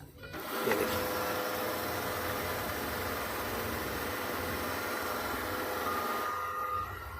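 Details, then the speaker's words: HP LaserJet 1020 Plus printer, gear train that made grinding noises at start, after reassembly and power-on: steady even mechanical whir about six seconds without grinding or clicking, then winds down; all gears working properly after the fix. "सारी गिरारियाँ अच्छे से वर्क कर रही हैं।"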